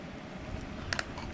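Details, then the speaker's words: New AC compressor for a 2006 Honda Pilot, bench tested off the car by grounding and plugging in the clutch: two sharp clicks a split second apart; magnetic clutch engaging normally. "It doesn't move a lot, but you can hear it clicking, and this clutch is engaging, the magnet's engaging."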